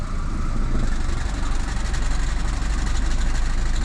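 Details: Fiat Panda 100hp warming up at idle: low steady rumble picks up an uneven rattly undertone when the clutch pedal is pressed; cause unknown.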